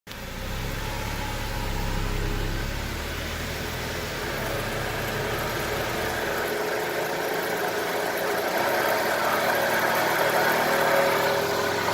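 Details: 2007 BMW E93: steady rumbling hum under the running noise from a bad wheel bearing.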